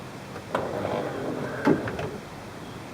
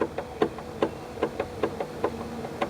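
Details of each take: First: 1994 Chevrolet Corvette C4 headlight motor after its worn gear was replaced. Two short, even motor runs, each about a second and a half, as the light goes up and down, with no grinding and no motor run-on: normal operation. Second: 1994 Chevy Corvette C4 pop-up headlight motor, nearly 20 years old: sharp plastic clicks about every quarter second as the stripped plastic gear slips and skips teeth, light sometimes not rising; gear to be replaced.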